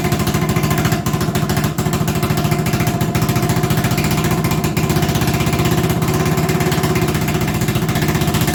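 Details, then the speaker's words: 1980 Honda XL250S single-cylinder: fast, even putter that holds steady without dropping back, idling too high; owner suspects he over-adjusted the carburetor idle screw earlier and turns it to correct. "emembered i adjusted the carb to make it idle that day and with the idle the way it is i wonder if i've gone much too far and now it's idling too high"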